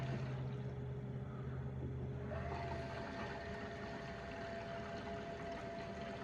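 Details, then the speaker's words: Fox-body Mustang electric water pump on a new controller at about three-quarter speed, no thermostat: quiet hum with a faint whine stepping up in pitch and water rushing; pump working normally. "okay with the new controller yep that's moving some water I hear it can you yeah only that's only 34 speed"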